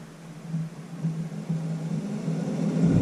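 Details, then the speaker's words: 2005 Chevy Corvette C6 with engine off, radiator fan on setting one of a newly installed manual fan controller: soft, even whoosh building smoothly to speed with no rattle or scrape. Normal cooling fan operation. "guys can now hear the fan running that's on one like I'm trying to show here in the button put it back to the center button so that's gonna be neutral or off"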